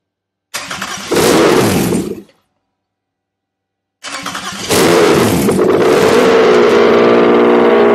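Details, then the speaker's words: Toyota 2GR-FE V6 bench-fired on the shop floor for an MR2 swap, using a Sienna ECU with immobilizer removed, fuel pump jumpered: cranks, fires and stops, cranks again, then holds a steady, even idle. "well there's the answer I got rid of the immobilizer on the Siena ECU"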